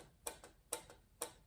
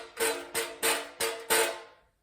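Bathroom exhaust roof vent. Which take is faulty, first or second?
second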